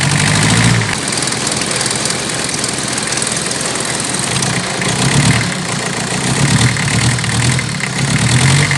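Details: Toyota 1C diesel with hard starting, shaking and loud running: clatter surges and sags unevenly instead of holding a steady idle beat; rough running, cause not yet clear.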